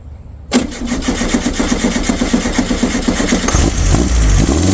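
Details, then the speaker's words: Abandoned air-cooled VW Baja Bug race car, first cold start after adjusting timing that had been too far advanced and adding extra fuel. It catches and settles into a steady, slightly lumpy but even idle while warming up. "we'll just let it let it warm up a bit yep"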